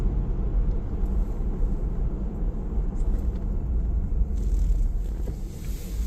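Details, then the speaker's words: 4Runner with an adapted 13-inch 4-pot big brake kit, two-piece rotors and XT910 street pads, during rebedding: stopping with a bit more pedal pressure gives only low road rumble and no squeal or grind; the brakes are now quiet. "No noise on that stop. So this is just a process that you kind of have to stay on top of."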